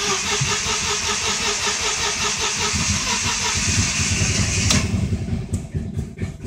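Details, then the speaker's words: 2000 Audi B5 S4 after timing belt and valve cover gasket replacement, no codes: choppy, uneven cranking, catches briefly with a little gas, sputters and dies; later found no compression on the passenger bank from a bent valve, head replaced. "gas and dies so that was a little sputter and die right there"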